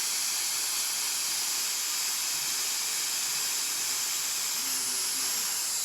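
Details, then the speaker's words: Samsung DVM S heat-recovery system on a no-heat call. A steady, high, sharp hiss with no rhythm comes from refrigerant escaping under pressure from a leaking pipe. "that's what we did and we can hear the leak quite portable"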